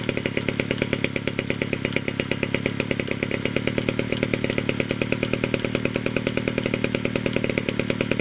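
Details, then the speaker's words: 1947 Danarm Junior Mk1 chainsaw, first extended run after restoration from seized: new bearings, coil and condenser, timing set, no fuel tank yet, a drop of fuel in the pipe; crisp, even two-stroke buzz with no misses, clutch operating; running normally. "There she is, she runs, and the clutch operates"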